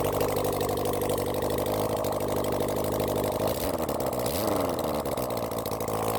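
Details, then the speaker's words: Honda CB400 Four engine on the bench after reassembly, warmed with choke, idling with a steady, even four-cylinder beat, no knocks or misses, before carburetor balancing; normal idle. "all right it sounds good when I get my car balances set that up then we'll try balance the cars"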